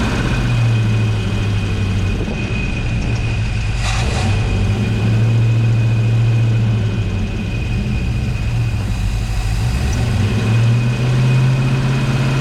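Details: 1970 Ford Mustang Mach 1 V8 after nearly 40 years sitting, second start try: deep steady burble settling into even idle with light throttle blips; smoke thought to be Marvel Mystery Oil burning off; healthy-sounding.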